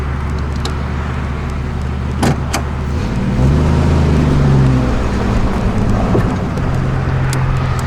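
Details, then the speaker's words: Jeep CJ7 with newly built 4.6 stroker and Mopar MPI kit, break-in first test drive on the road; steady deep drone rising smoothly with throttle, no knocks or misses; runs healthy. "I'll probably shoot a quick vid of the ride back to the house just so y'all can hear it run."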